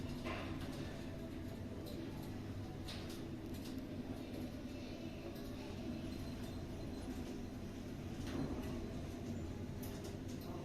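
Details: Schindler 5400 shopping-centre lift installed 2008, 1000 kg / 13 persons, 6 stops: steady low hum, even travel, only faint clicks, no scraping or jolts; normal elevator ride.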